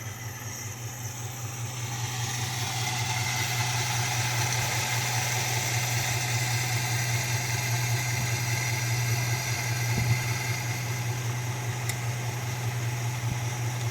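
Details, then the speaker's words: 1969 Dodge Dart GT with a new carburetor, idling in gear under load with wheels chocked: as the mixture screw is turned in, the steady low idle starts to waver and shake, running too lean, before being set for best lean idle. "And it starts to get a little shaky there."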